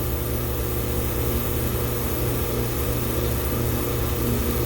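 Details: Glycol beer-line chiller power pack, restarted after switch work with two pumps and compressor on: steady even hum without rattle or surge; chiller running normally.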